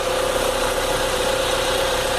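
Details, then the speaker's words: Vectra 2.2 16v petrol engine idling smoothly with no knocking after repair: broken balance shaft (compensador de massa) gears and shafts removed, lubrication outlet blocked; steady hum, no rattle. "ó sem o compensador de massa agora tá sem barulho nenhum e funcionar"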